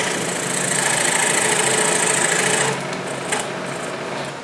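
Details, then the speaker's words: Cheap entry-level scroll saw with a No. 5 plain-end blade cutting a wooden Christmas ornament: steady fast buzzing chatter of the blade through hardwood, even and unlabored, easing off near the end; cutting normally. "but does it get the job done yes it will and I'll prove that here with this cut"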